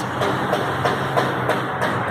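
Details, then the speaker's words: 2000 Chevrolet Astra idling with a rhythmic scraping tick about three times a second near the timing and accessory belts; coolant is dripping, and the worn water pump is to be replaced. "ele tá com barulhinho aqui próximo das correias"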